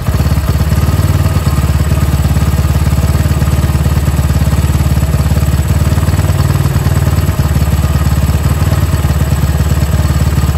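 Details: Indonesian motorcycle at idle right after fitting a new Bosch battery reading 12.3 V: single-cylinder idle with occasional uneven beats and a dip; intermittent stumble while riding, sometimes changing with the headlight; battery suspected, not confirmed.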